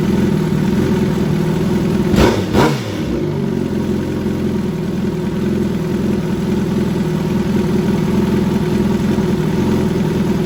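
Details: 2013 Suzuki GSX-R1000 Commemorative Edition sportbike inline-four, during an oil change: catches with a quick blip, then settles into a smooth, even idle with no clicking or tapping. Running normally.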